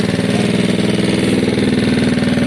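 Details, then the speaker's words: Gilera DNA single-cylinder on the stand at idle, upgraded to a newer metal-slide carb with higher jets and a new thicker fuel line, custom air box fitted but not yet seated: an even, steady putter with no misses or knocks. It runs okay-ish and idles normally. "so guys the air box is on it's not seated correctly yet but it's there we're just checking for air delivery currently it works okay-ish"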